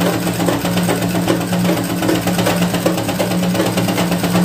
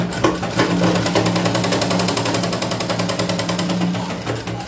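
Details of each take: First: Sewing machine after an adjustment to cure a tapping knock: steady, even stitching rhythm with a smooth motor hum and no tapping left; the machine runs cleanly. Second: Sewing machine stitching with a rapid tak-tak clatter about three beats per second; shuttle hook striking a part below, fixed by adjusting the shuttle setting.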